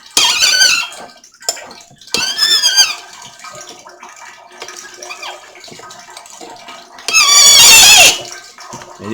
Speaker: she's moaning she does not like this